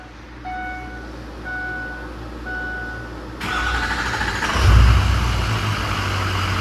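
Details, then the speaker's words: Ford 6.0 Powerstroke diesel after replacing cracked number 4 injector tip, hot restart after a few minutes off as head gasket check: chime, about a second of cranking, catches and settles to steady idle; healthy. "See if we got a hot nose start. So at this point, hillbilly head gasket test. Let's give it 5 minutes and see if it starts."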